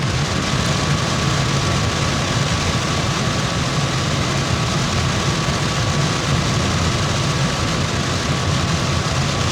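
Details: Brinkley G3250 RV rooftop AC (Dometic or GE), before installing an AC silencer: steady, even fan roar with low rumble and faint constant hum, no rattles or surging; normal running.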